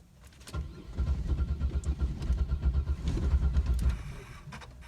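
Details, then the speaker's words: Car cranks in steady pulses for about three seconds but never fires; owner suspects no fuel is reaching the engine, not confirmed. "Sound like I want to crank, but sound like ain't no gas in this mark to me."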